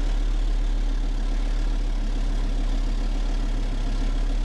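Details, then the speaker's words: Engine running on wood gas from a gasifier, slow-idling about 25 minutes while holding proper temperature: low, steady idle with an even, unbroken beat and no misses or knocks; smooth normal idle. "I hope you can hear the smooth sound of the motor idling."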